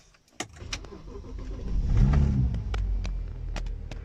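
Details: Car upgraded to hybrid turbos: engine revs then drops off with a rapid fluttering chatter from the intake side, the compressor surging because the blow-off valve spring is too stiff.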